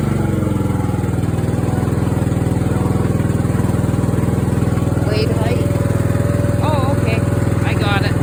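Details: Craftsman riding mower that fired but wouldn't run, after new fuel shutoff solenoid, fuel filter, spark plug and fuel treatment (suspected water in fuel): steady even single-cylinder thump holding speed, no stumbling or misses; normal running.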